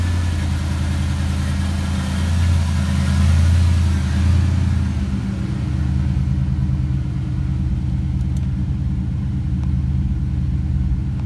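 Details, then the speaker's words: Fox Body Mustang 5.0 V8 after water pump, timing chain and larger alternator replacement: deep, steady rumble with a brief rev settling to an even idle, no rattle or knock. Alternator charging, coolant full, thermostat not yet open; running healthy. "charging sure is that's a good sign sure okay really good yeah not bad for as long as it was apart right i love when that happens everything looks good good deal"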